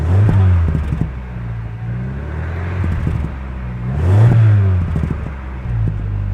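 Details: Rover 75 petrol engine after its misfire was fixed by re-gapping the spark plugs to 0.50 mm instead of 1 mm: it revs up and settles twice, with the tone rising and falling evenly without stumbling; smooth revving.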